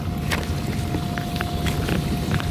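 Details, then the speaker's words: KitchenAid KDFE304DBL0 dishwasher mid-wash after its diverter motor was replaced to fix a leak beneath: steady low churning rumble, faint constant tone, odd splash. The new motor area stays dry, so the wash cycle is normal. "all right clearly you can hear the dishwasher running and got the camera focused on the inverter motor i'm not seeing anything thankfully sorry so far it looks dry"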